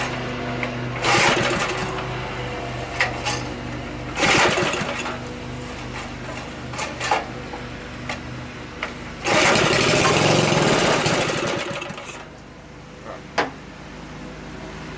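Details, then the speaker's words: Briggs & Stratton small engine, revived after being locked up, fires steadily and consistently between louder bursts, smoking from oil put in for a suspected frozen piston; runs evenly, carb and tank still need cleaning. "so that's firing up pretty consistently"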